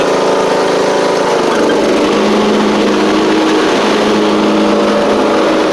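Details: Poulan Pro PP19A42 riding mower with General transmission, restarted after freeing stuck forward/reverse pedals: steady, even mid-pitched drone with no misses, knocks or surging over six seconds; runs smoothly, normal running.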